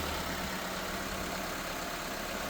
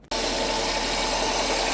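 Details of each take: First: 1999 Nissan Altima after alternator and belt replacement for an engine grinding noise: petrol engine idles smoothly and evenly, with no grinding, squeal or chirp from the belt drive. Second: 1999 Nissan Altima engine idling with a steady, rough, gritty grind over it from a failing alternator bearing; the alternator is to be replaced and bench-tested.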